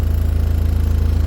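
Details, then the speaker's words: Talbot Express van converted to a 2.0 HDI Peugeot DW10RHY diesel: steady, even low idle thrum with a regular pulse, no knocks or rattles, far quieter than the original Talbot engine; normal idle. "It's very quiet compared to original tool bits. It's a massive difference."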